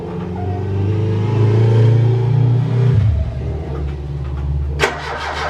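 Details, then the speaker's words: Ford Capri Calypso sitting 14 years, weakening battery, no fuel drawn into the fuel filter: cranks steadily about three seconds with uneven churn but never catches, then stops; owner suspects no spark, ignition coil suspect, not confirmed. "Don't think I'm getting the spark is the issue."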